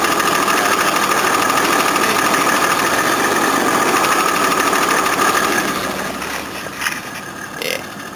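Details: 1983 Jaguar XJ6 Series 3 4.2L six, cold start with a broken drive plate: light metallic clatter repeating about three times a second over the idle; cracked flexplate, later replaced.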